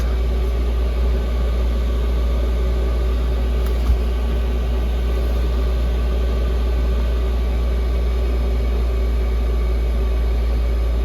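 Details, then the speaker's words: Chinese Webasto-style diesel heater in its shutdown cleaning cycle: loud, steady low blower drone with no pulsing or scraping while it still blows warm air and power draw falls toward 19 W; a normal cool-down purge. "Pareil, quand il fait son cycle de nettoyage, il n'est pas discret. Hein. T'as vu? Le bruit de la ventile. Par contre, ce qui est bien, c'est que là, il crache encore de l'air chaud, quoi, quand il fait son cycle."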